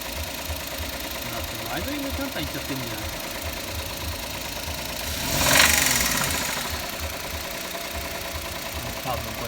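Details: Engine knock at idle after adding Motor Up oil additive and idling about five minutes: uneven deep internal knocking over a rough idle, about three per second, with a rising rasp; additive did not help, owner suspects worn bearings (metal).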